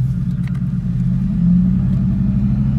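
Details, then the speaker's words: Ford F-150 5.4 3V with a deep, uneven rumble and a stumbling low pulse, vibrating while creeping in gear; cylinder 5 misfire blamed on water intrusion through a bad ignition coil boot, with a purge valve also cited; check-engine light flashes at 50–55. "all right so as you can tell checking your lights on you could tell it's vibrating as a misfire"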